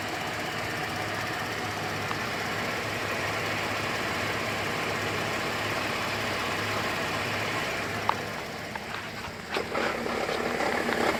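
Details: 2008 GMC Acadia SLT, key restart after auto start squealed then shut off violently: light irregular rattle over steady idle, owner suspects failing pulley bearing; rattle at idle.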